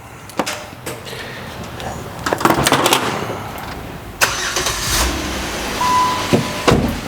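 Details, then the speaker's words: 2007 Jeep Wrangler 3.8L after the cylinder-two misfire repair: it cranks, catches cleanly and settles into an even run with no stumbling or popping; scanner shows zero misfire counts. "All right, let's check out the misfire status. We are zeros. We don't have a misfire."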